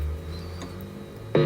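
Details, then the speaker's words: Late-1950s HMV C1-81 record player, cartridge output wired into an old Philips radio's pickup input, nothing playing: steady low mains hum under everything; grid hum. "yep so there's grid hum on there now"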